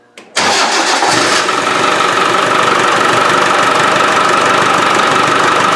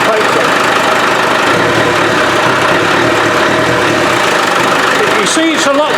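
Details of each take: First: Land Rover 300Tdi diesel, after pump work fixing a squeak, intake pipe not fitted: short crank catches into a loud, hissy, rough-breathing idle, more responsive; open intake roar because the intake pipe is missing. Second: Land Rover 300Tdi diesel after pump replacement, intake not yet refitted: steady even idle with low rumble and intake hiss, no knocks or squeaks; squeak fixed, engine healthy.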